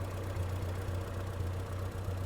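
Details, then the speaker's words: 1975 MG Midget 1500 after fitting an electronic ignition kit in a 45D distributor, fixing its starting problem: low, steady tick-over at 650–700 rpm with even pulses and no misses. It is idling smoothly, lower than it ever has. "she's ticking over yeah she's ticking over between 650 and 700 RPM which is about where she should be"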